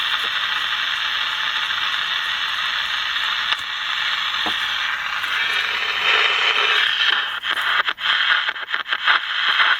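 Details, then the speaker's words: General Electric P-815A seven-transistor radio after capacitor replacement. A station now comes through steadily over light hiss with no dropouts or crackle; normal reception, though the speaker may distort. "Sounds the if sounds like it's working now."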